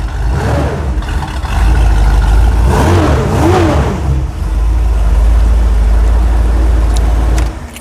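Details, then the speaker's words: V8 with a simple 2-barrel carburetor, started after a couple of throttle pumps; catches quickly, revs rise and fall cleanly between blips, then a steady deep idle with no misses; runs and starts really nice; normal start and idle. "It runs really nice. Runs really nice. Starts really nice."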